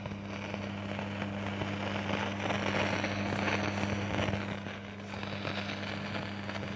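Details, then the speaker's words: AHUJA 4040S amplifier/cassette deck: steady low mains-type hum under faint irregular crackling that won't switch off, persistent hum and crackle; cause unknown. "लेकिन थोड़ा problem है उसमें एक आवाज को बंद नहीं हो रही है"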